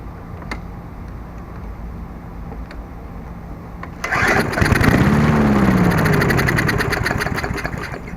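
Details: Murray 22-inch Sprint 3.75 hp mower after replacing seized stop cable, kill switch disconnected, primer pumped: faint pull, catches and runs a few seconds before sagging; starts then dies, owner suspects it isn't drawing fuel.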